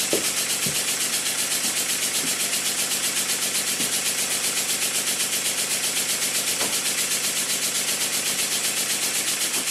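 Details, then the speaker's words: Model steam engine made circa 1896, rebuilt, run on air on cardboard: soft even exhaust beats about two per second over steady hiss, no knocks; valve timing perfect, early admission cushioning; crank pin known too thin. "When I place the engine on a piece of cardboard, because my workbench is a soundboard, you can hear how quiet it is. This quiet running is nothing to do with the mechanical condition of the engine."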